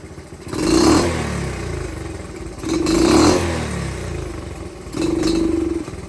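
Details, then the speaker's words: Dirt bike carburetor, air/fuel screw about a full turn out, idle raised: three throttle blips each hesitate and sound muffled before picking up, then return to idle. Stumble/bog on throttle; owner suspects pilot jet too rich, needs smaller pilot. "Not it. Doesn't like it. Like I said, this is where we go in, put a smaller pilot in, and that would solve all our issues here."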